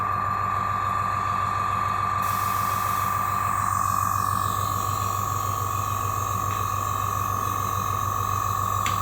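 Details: AS196 airbrush compressor after cleaning its leaking tank-feed check valve, regulator set to 30 psi with airbrush attached; quick, even pumping beat about three per second under steady high hum, no air-leak hiss; pumping normally.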